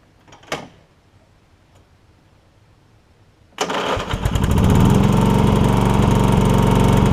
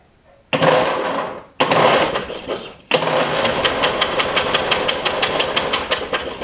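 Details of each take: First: Toro Wheel Horse 1232XL hauler with 12.5 hp Briggs single, after Hipa carburetor kit install: engine catches and settles into strong, even thump at steady speed, no misfire; heavy exhaust smoke, likely flooded with gas. Normal running. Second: Toro Wheel Horse 1232XL with 12.5 hp Briggs single, spark plug removed before a carb kit install: starter spins in short bursts, then steadily at about one pulse a second, with hissing puffs as fuel blows out of the flooded cylinder.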